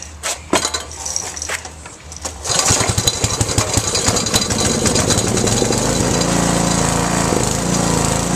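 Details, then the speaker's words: Used 8hp industrial Briggs & Stratton engine, no air filter, throttle sticking about halfway: pull-start tugs, then it catches and climbs to a loud fast buzz that stays high; owner suspects it needs carb cleaning and adjustment. "It might need a carb clean, like just spray down, put back on, and maybe adjustment, because it revs really high when you get on."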